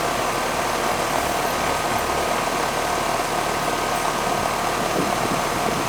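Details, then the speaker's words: 10-year-old R-410A AC system after evaporator coil replacement: steady even compressor hum and fan rush, no knocking; pressure good at 145, moving slightly as the TXV hunts; normal compressor operation. "pressure's moving up and down a little bit because the TXV is hunting it's good pressure at 145"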